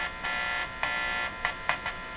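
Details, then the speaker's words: Canadian Westinghouse Model 512 tube radio during IF alignment, with a strong 460 kHz signal-generator signal fed into the antenna: a raspy buzz cutting in and out in the audio; the technician suspects a wire. "worth a little more volume listen to that buzzing out you know what it could be could could be this wire"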